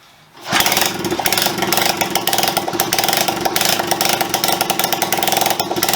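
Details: Honda CB125S single-cylinder engine, restored, first run in many years after fitting the carburettor and fuel system, kick-started: catches after a moment and settles into a quick, steady popping beat with slightly uneven throttle. Starts and runs.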